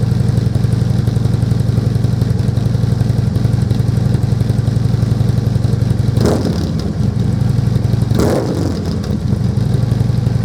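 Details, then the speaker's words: Harley-Davidson Glide V-twin idling with newly fitted slip-on exhaust pipes: even, loping deep beat with a couple of brief clatters; engine running fine, normal idle. "I said earlier on as well, I'll crack this thing up with these new pipes on so you can have a listen."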